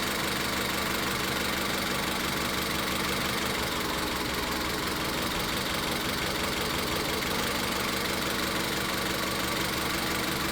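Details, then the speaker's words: Engine idling during a cylinder power-balance test: disconnecting cylinder 3's coil changes nothing, confirming the misfire is in cylinder three and not a spark problem; lopsided stumble roughly once a second. "Entonces, ya en este punto nos estamos dando cuenta de que hay falla en el cilindro tres y de que el problema no es la chispa."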